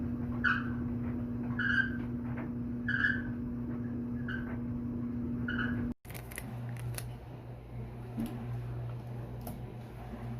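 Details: Whirlpool dryer: a sharp high squeak repeats roughly every 1.25 seconds over a low hum from the turning drum, a dry rubbing squeal. The dirty white drum wheel (roller) is suspected and due for replacement, with a temporary repair made.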